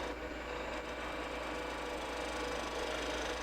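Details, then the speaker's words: Skew chisel on the lathe cutting off its sweet spot: rougher, louder scraping hiss over the lathe hum; cuts fine but less quietly, tool starting to protest. "That's cutting pretty good too, but it's not as quiet. You can hear it starting to protest."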